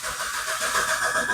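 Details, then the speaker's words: Old Proton Persona with hard starting and erratic RPM: labored start, uneven, strained engine note that struggles to settle before being switched off. Hard starting from faulty crankshaft position sensor. "Itu susah mau hidup. Kita kasih mati."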